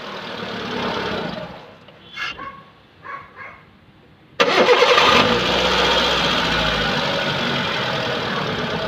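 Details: Hyundai Santro that made a loud noise on starting: after a few quiet clicks the engine cranks, catches and settles into a smooth, steady idle with no squeal.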